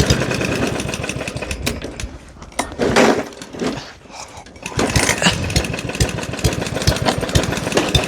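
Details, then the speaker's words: Junk diesel lawn mower deliberately abused, fed engine oil and other fluids, run on low choke: rapid rattling knock over the bark, sags and nearly dies then recovers. Engine knocking badly, starting to lock up. "It's like knocking really bad, starting to lock up."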